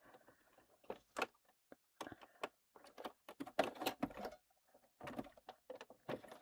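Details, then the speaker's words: Sewing machine basting a River Walker dog-walking bag through about eight folded layers: slow, uneven stitching with sharp pops as needle struggles through, also skipping stitches; needle possibly too small. "Okay. Yeah, that's not liking that. You can hear that popping. That's cuz the needle is having trouble going all the way through. And it's just cuz there's a lot of layers here."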